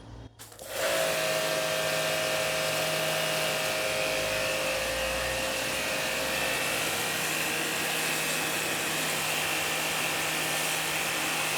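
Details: Hanabi JBD 8003 induction-motor pressure washer, 127V/110V, cleaning with no leaks at the fittings under pressure: quick start, then a smooth even drone with faint whine, no surging or knocking; normal running.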